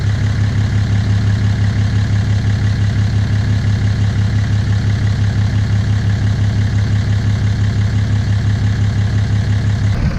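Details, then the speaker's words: 2017 Ram 2500 Cummins diesel, tuned, DPF/EGR delete, straight-pipe exhaust, idling after an oil change; deep, even clatter with regular pulse, no knocks or misses, sounding happier, no leaks. "so it was a success. There is no oil spills or anything. No oil dripping. Truck sounds like Cummins. Sounds happier."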